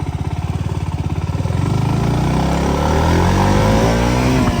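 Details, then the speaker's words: KTM Duke 200 riding in first gear: steady tick-tick-tick, about three knocks a second, climbing with road speed; present about two days and less bad at normal speed; worn chain and front sprocket, fixed by chain kit replacement. "నా బైక్‌కి ఒక చిన్న సమస్య ఉంది; bike కదిలినప్పుడు, అది టక్-టక్-టక్-టక్ లాంటి భయంకరమైన శబ్దం చేస్తుంది."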